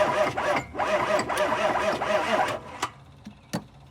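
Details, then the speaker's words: 1995 Chevy OBS 6.5 diesel: slow, labored cranking at about four turns a second that never catches. No fuel is reaching the injectors yet, and the batteries are too low to spin it. "all right so we're gonna have to let it charge a little more and get some more juice in it because that's not quick enough to do anything with"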